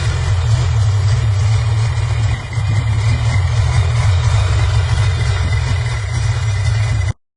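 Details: Sea-Doo two-stroke after complete rebuild, restarted after a spring adjustment to cure backfiring: steady deep drone, fairly even with one brief dip, now running cleanly without misfires or pops. Normal running after adjustment.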